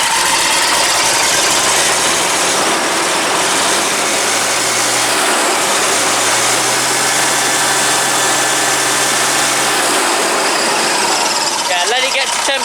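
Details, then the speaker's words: Old diesel engine (Project 114) after fitting pipes and turbo: heavy uneven lumpy idle with dropped firing pulses, little smoke; same cylinder misfire as before; owner suspects a stuck piston ring that may free off once warm. "we've got a little bit but we're back to really where we were before and it looks like it was before because it was this firing before we started and it's still doing it"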